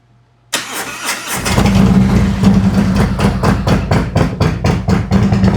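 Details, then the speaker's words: 2018 Harley-Davidson Road Glide, Milwaukee-Eight 114, after a Cycle-Rama CR480MT cam install and ThunderMax retune for overheating and poor mileage. Started at 82° engine temperature, it settles into a steady, even idle with clean cam lope. "Sounds much better. Sounds better every time. It's got more of a nice clean lope to it now."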